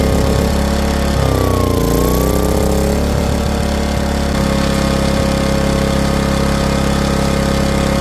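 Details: Powermate PM2000i portable generator after carburetor replacement, first pull start-up: brief rise in revs, then a smooth, even, steady drone with no surging or hunting; running properly.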